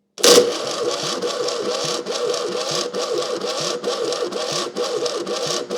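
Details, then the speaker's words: Fiat 600 engine, long unused, cranking on a jump pack: starter whirs with a slow, labouring, uneven chug and the engine never catches; weak spark, dry plugs; owner suspects the rough, warming starter is drawing the spark away. "I think it's labouring, that starter motor's labouring so much it's drawing the spark away."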